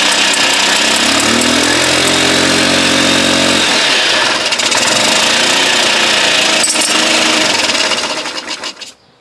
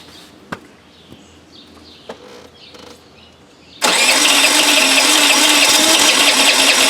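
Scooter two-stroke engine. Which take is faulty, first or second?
second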